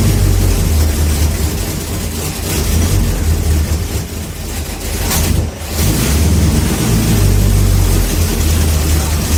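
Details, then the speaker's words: 1969 Plymouth Fury III V8, first start after about a year with new exhaust and headers, carb not yet tuned, front leak noted: deep strong rumble at even idle, one brief dip and recovery, no misfire or knock; normal idle. "all right we got some success and that sounds amazing"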